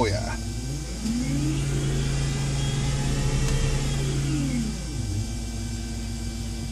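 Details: BMW E31 840Ci EV conversion on a test run of the Siemens motor, inverter and power steering pump integration: a smooth electric whine rises as the throttle opens, holds, then falls back evenly; normal, healthy EV motor revving.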